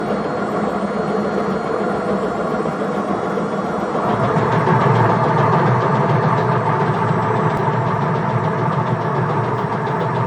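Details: Indesit IWSC61051 washing machine with bad drum bearings: heavy rumbling roar, then quiet with rhythmic knocking as it slows; failure led to destruction and smoke.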